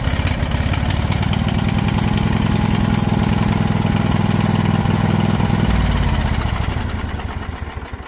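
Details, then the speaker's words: Husqvarna riding mower with a Briggs & Stratton engine, PTO safety switch bypassed with electrical tape: small single-cylinder engine catches and runs with a steady, even chug of about three beats a second, then winds down smoothly. "There we go, guys. A little bit of electrical tape bypassing that switch. It's going to make things a whole lot easier"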